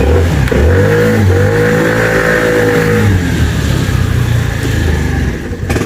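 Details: New-body fuel-injected Cappuccino 50 scooter with fault light on, ground wire previously added by others: revs up and wavers, then sags and stalls as throttle is held, not every time.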